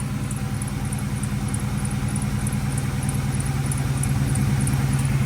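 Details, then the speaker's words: 1998 Mustang Cobra V8 with loud straight-piped exhaust at cold idle: quick high chirp about three times a second from the belt drive, only when cold and gone once warm; fixed with an OEM belt tensioner. "I'm going to start her up and this noise literally only happens when the car is cold once the car warms up it actually goes away but I'd rather just get rid of it all together"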